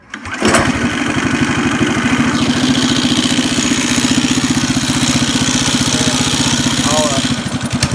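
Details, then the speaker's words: Mini bike with torque converter and new Kevlar belt: the small single-cylinder idles steadily, but the drive engages at idle despite the loose belt. It pushes the wheel against the brake and stalls if braked too hard. "I'll push the brake, and it's still got so much torque, it still pushes the wheel even when he's sitting on it. And if you push the brake too hard, it just dies."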